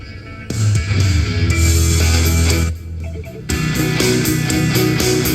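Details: Marshall Emberton speaker after repair (previously shorted and cut out when turned up), playing at full volume: loud rock music with deep bass and clear treble, no crackle, distortion or cut-out.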